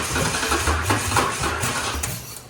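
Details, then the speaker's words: 1993–2006 Ford Ranger with swapped Taurus 3.0 engine: short burst of cranking with uneven chuffing that never catches and dies away; fuel pump running and getting fuel, cause unknown. "Oh. That starter's having a heck of a time."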